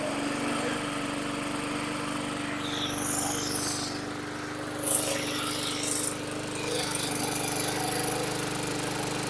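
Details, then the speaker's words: 2010 Yard Machines 22" push mower (MTD 11A-084E029), rusty, running after fitting an aftermarket carburetor and a rebuilt tank: a small single-cylinder engine with a steady drone at constant speed, no misses or surging. Normal running. "so that worked out well I hope you could hear it running so totally psych that this piece of junk started with the aftermarket carb rebuilt tank"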